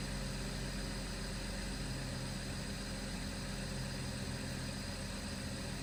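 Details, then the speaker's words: BMW 525 with an N54/N55 engine, after the high-pressure fuel pump was replaced to cure 2B2C/29F2 codes. It has a quiet, steady idle with an even low hum and no stumbles or ticking, starts faster, and shows no codes after several starts. "no check engine yet so I started the car for like probably three four times uh no cods for the high pressure fuel pump or whatever starts a lot faster now as you can hear it"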